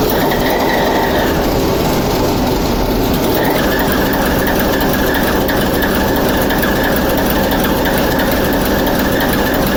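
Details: TEP70 0237 locomotive V-16 diesel, first start after repair: steady even drone with a light rhythmic beat throughout, no knocks or misses; normal running.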